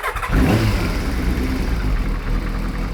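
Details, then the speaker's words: Kawasaki ZXR750 H1 after carburettor balancing and vacuum caps refitted, engine hot: quick start, short rev dropping straight back to a steady idle without hanging; no air leaks, normal start and idle. "So, no air leaks. It's not hanging in the revs. It's not coming down. That's all good."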